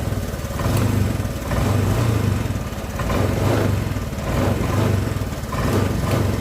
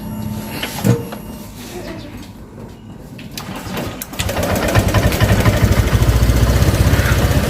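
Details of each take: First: Honda Vario 125 scooter that stumbles on cold start and won't idle cold but runs normally hot: compression restored by flushing, throttle body cleaned. Warm idle with a gentle swell in its beat, not stalling after 3 minutes; still dies once or twice in the mornings. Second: Honda Vario 125, piston possibly oversize, compression restored and throttle body cleaned: cold start catches after rough cranking, then uneven lumpy idle, nearly dies unless throttled, normal after ~3 minutes warm-up; cold-start fuelling fault, larger injector considered.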